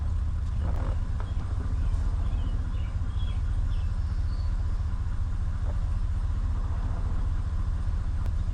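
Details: 2019 Ram 1500 that had a no-start with no power, now running: steady, even low rumble, no knocks or misses, smooth regular idle; normal idle.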